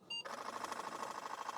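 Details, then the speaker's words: Floppy drive in a Franklin Ace 10, after cleaning and tune-up, at computer power-on with boot disk: a short beep then rapid, even clatter of the head stepping against its stop; normal head bang recalibration on these drives. "that's what headbang sounds like on these drives."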